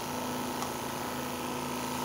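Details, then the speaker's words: Stratus OTS-5 oxygen concentrator after its faulty compressor was replaced with a new zero-hour unit: steady, even compressor hum with a faint high tone and no knock or rattle. PSA process active, drawing about 3 A, oxygen about 90.7%. Running as it should. "Ya está trabajando nuestro compresor y ahora ya hay proceso psa veamos excelente proceso PC activo"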